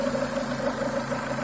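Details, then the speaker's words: Renault Duster 2.0 at steady idle with a quick, uneven mid-pitched croak or quacking repeating several times a second, heard from the left side of the engine; sticking crankcase ventilation (PCV) valve, replaced to fix. "слушайте слышите до пульта не кваканье кукареканье кто как только не называет звучит он почему-то именно с левой стороны двигателя"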